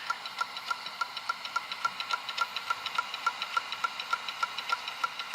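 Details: Dell Inspiron 530s desktop stuck at the boot screen while its hard disk drive clicks sharply and steadily, about three or four times a second; owner suspects platter damage, not confirmed.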